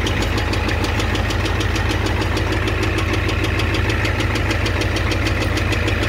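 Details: 1988 Ford F250 7.3L IDI diesel at idle: hard steady knock about two per second over rough idle, cause unknown; also high pressure fuel line leak, white/gray exhaust smoke, smoke from oil dipstick, oil in add zone.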